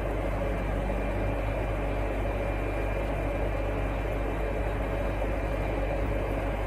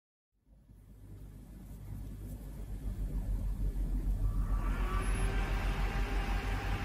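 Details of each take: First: Windows 98 retro PC with Athlon XP 2200+ and Asus A7N8X-X board: power supply fan gives a steady, unchanging loud roar over a low hum; PSU far too noisy, to be replaced with a quieter one. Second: Windows 98 PC build CPU cooler fan, previously fully seized, after removing and refitting the cooler: whir climbs from silence to a smooth full-speed hum with no scraping; fan now spins freely.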